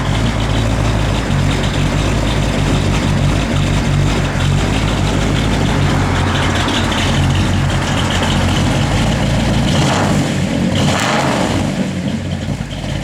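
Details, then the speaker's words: 1960 Pontiac Catalina, 400 ci V8, Holley 4-barrel, Edelbrock intake, headers, Flowmaster dual exhaust, 350 Turbo Hydramatic, 75,000 miles: deep, steady, lumpy rumble at idle with even beat, no misfire or knock; normal V8 idle. "that's a cool car man it it sounded like it got power"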